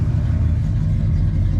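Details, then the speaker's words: Restored 1966 Ford F-250 V8 running: deep, even rumble through the dual exhaust, smooth with no misses or knocks, no smoke after valve stem seal replacement, no exhaust leaks. "Here's our dual exhaust. Sounds good, no smoke cuz we did the valve stem seal. Just a good running truck."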